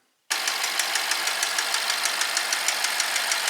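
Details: 2012 BMW 650 4.4 twin-turbo V8 N63; sharp steady knock about twice a second while running, diagnosed with scope, oil pressure transducer and chassis ears on each bank; rod knock.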